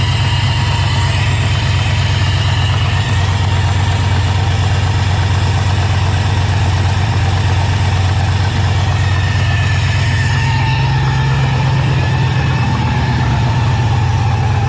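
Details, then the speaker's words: Running engine with turbo fitted: steady idle with a light, quick tick at every rev; owner suspects a small exhaust leak needing a fresh gasket. "sounds like there might be an exhaust leak here i think i see it back there sounds like a little exhaust leak yeah you can hear the ticking looks like it a little bit"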